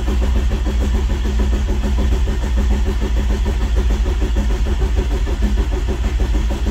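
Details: VW Rabbit pickup after head gasket job, oil freshly added, main harness connector unplugged so no firing: steady even cranking churn at about 100 per minute; oil leaks later found, wrong head gasket.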